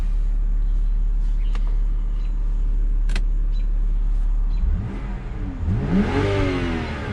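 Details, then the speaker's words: 2007 BMW 328i E90 automatic, 248,000 miles, idling; window motor whirs and climbs in pitch as the glass rises smoothly and fully, though it once stuck, possibly uninitialized. Normal power window operation. "Rose right up, no problem."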